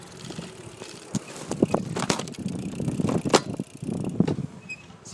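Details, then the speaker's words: iGO Urban 250 W mid-drive e-bike ridden on twist throttle at high assist in gear four; over a speed bump the plastic rear battery housing gives irregular hollow clunks and rattles from bouncing around. "but the Box in the back when I went over the speed bump you could hear it kind of bumping around that was the noise I was talking about"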